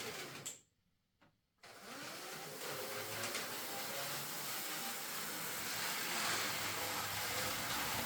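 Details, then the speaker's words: Hornby R.398 Flying Scotsman model locomotive, about 20 years old, that ran backwards but not forwards, after partial repair. The motor gives an even but labored whir under strain; worn gears are suspected. "so it's running but uh it doesn't sound right to me I think the motor is still under a bit of stress"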